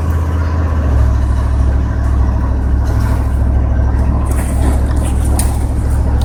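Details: 1994 GMC Sierra 3500, 5.7L, on a drive after a transmission fluid change: engine roars loud and steady at high revs with no shift drop, stuck in first gear; transmission not upshifting, speed sensor suspected.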